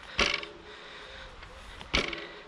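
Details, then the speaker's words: 2021 Husqvarna HC8 e-MTB with Shimano EP8 mid-drive motor, rear of the bike dropped: a metallic clatter, then a light plastic rattle from the motor; the known EP8 rattle, attributed to its clutch mechanism. "einmal das metallische fähige und dann hört man so einen plastik klappern und das ist tatsächlich der motor also das ist dieses ep abklappern"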